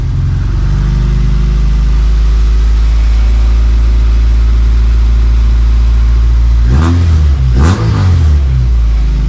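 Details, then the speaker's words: Honda CRX LSVTEC after the muffler was fully welded on, with no resonator fitted: a deep, smooth exhaust drone with a brief rev and no rasp or rattle. The rasp was thought to come from the incompletely welded muffler. "You know, I think the raspiness was because the muffler wasn't entirely welded on. And now that it is fully welded on, the raspiness is not there."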